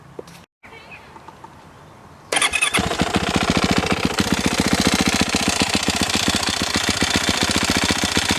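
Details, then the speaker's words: 2021 Yamaha YZ450F, fuel-injected, low-hour engine, oil drained with no metal shavings: engine catches and idles with fast, fairly regular top-end tick about three or four per second; owner suspects timing chain or possibly crankshaft, not valves, unconfirmed. "that doesn't sound like the valves to me sounds like either the timing chain or the crank i hope it's the timing chain but i don't know"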